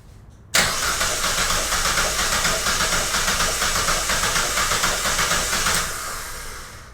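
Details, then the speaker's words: Compression test by cranking on the starter with a clamp ammeter on the starter cable, ignition disabled and one spark plug removed to simulate lost compression; cranks steadily about four beats a second without starting, pulses uneven and weak, about 88 A. "Bem, pessoal, eu vou tirar a vela porque tirando a vela a gente vai simular uma perca de compressão no motor, tudo bem?"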